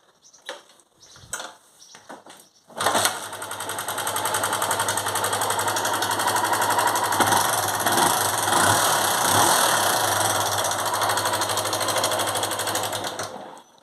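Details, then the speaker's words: 2004 Honda Titan 150 at idle after start-up: light sewing-machine tapping about four times a second over the idle; abnormal engine noise of unknown cause. "Bom dia pessoal tô aqui com essa Titan 150 ano 2004 essa moto pessoal tá com barulho estranho no motor e vamos aqui tá ligando para vocês verem"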